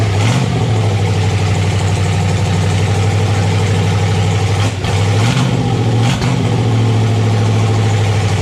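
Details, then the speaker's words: Red Ram 241 Hemi V8 first start, stock oil pump at 40 psi oil pressure: deep, steady rumble holding raised revs with a couple of quick blips, smooth and even; normal running at raised rpm. "out of fuel that sounds a lot better at rpm sweet cool we had 40 pounds of oil pressure which is amazing 40 pounds oil pressure on the stock oil pump"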